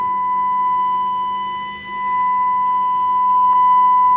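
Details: Radio after its crackling inductor was swapped for one from a scrap chassis: a steady, pure 1 kHz test tone from the speaker, free of crackle or buzz. The audio fault is fixed.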